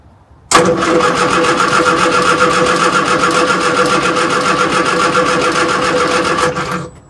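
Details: Morris Minor 1000 after long sitting, first attempt: about six seconds of steady fast cranking that never fires; fuel smell present, owner suspects gummed-up spark plugs.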